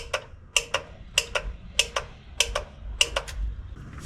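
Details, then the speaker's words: Clicking before start on a 1986 Ford F350 diesel after fuel return rail repair: crisp paired clicks repeat about every 0.6 seconds, evenly spaced, before any cranking; source unknown, owner doubts it is normal. "Who knows if that clicking was normal. I don't think it is, but hook on to you and hook on to you."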